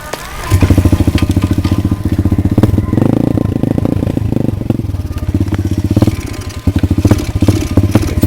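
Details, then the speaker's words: Pit bike that ran fine half an hour earlier, with a packed muffler and missing engine bolts: small single pops unevenly, revs surging and sagging with stumbles; owner suspected the carburetor, but the tank was found empty, causing fuel starvation. "hopefully nothing major cuz we honestly like half an hour ago it was running just fine now it's running like"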